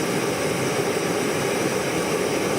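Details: Primus Classic Trail Stove model 2243 at full flame, bringing a pot to a rolling boil: strong, steady roaring hiss with a faint rattle from the shaking pot, no sputter.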